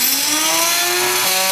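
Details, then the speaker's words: Bell CPX good-condition motor (RC heli) driven by the R6 build's speed controller, testing whether controller or the 3800KV R6 motor is faulty; clean high whine stepping up in speed in stages, no rattle or stutter, running smoothly, so the controller works. "I connected the speed controller from their sex to the the other motor and as you can hear it will run smoothly no problem"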